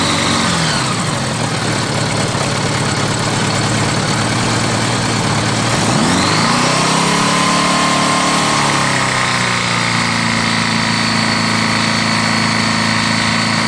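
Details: GL1100 motorcycle engine idling and revving with a dull, uneven knock under the exhaust note, together with an oil pressure drop; rod knock suspected.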